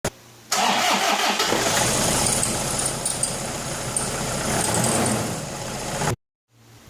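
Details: Toyota Innova 2.5 D4D diesel running with a thin, high squeak and whine over the clatter from the accessory drive; source not confirmed.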